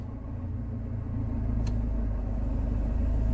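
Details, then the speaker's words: Car with a suspect gearbox, after a full engine service and new coil pack, losing power again. A deep droning rumble with bearing rumble swells as drive takes up after reverse, and the car struggles to pull away. It is more severe than before, confirming gearbox noise. "that that is a more severe sound of what we were getting before I had a feeling the first time I turned up it may be the gearbox there's always been a question mark over that"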